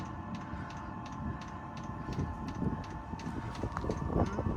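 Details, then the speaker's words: Diesel heater newly installed under driver's seat of 2017+ VW Crafter/MAN TGE, fed from main fuel tank, first burn: steady fan hum, crisp pump clicks about three per second, burner building evenly, getting warm; normal operation. "Sounds good to me. Ooh. Oh, it's getting a bit warm."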